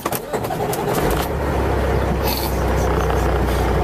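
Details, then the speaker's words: Tractor-trailer diesel started with the key after a shop repair, likely a solenoid, which the driver says changed the engine tone; brief crank, then it catches in about a second into a firm, even idle. Clean start on the first attempt. "I don't know, it's like, fuck, it sounds much better, you know, like there's more power. I don't know, it's like the engine starts from the first attempt, you know."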